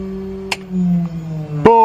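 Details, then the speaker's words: 1964 Cessna 210D, IO-520 285 hp, master on and electric fuel pump switched on after a small fix: steady low electric whine with a brief louder surge. The pump, previously silent with no fuel flow, now runs normally. "I've never been more happy about a part making a whining noise than right now."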